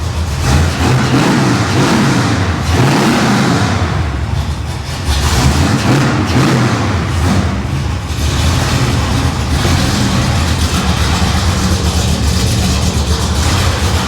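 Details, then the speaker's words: '55 Chevy Nomad supercharged V8 at first fire, through mufflers: deep, even bark rising and falling cleanly with throttle blips, fairly quiet, no knocks or misses; healthy engine. "Sounds good. It's actually kind of like quietish through the [Music] mufflers."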